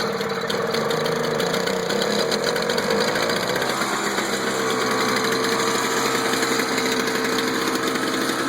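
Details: Toro two-stroke snow blower just after a spark plug change, started with choke out after priming: steady, even two-stroke buzz held at constant speed for several seconds, no misses, surging or knocking; normal running.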